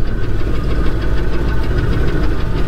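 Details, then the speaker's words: C10 pickup not driven since 1993, first drive after reassembly: deep steady knock in time with rough idle, oil pressure fluctuating; suspected lifter or possibly a rod bearing, not confirmed. "you hear the tap I do I thought that was a lifter or something uh might be a little deeper than lifter it might be a rod man a rod bearing to"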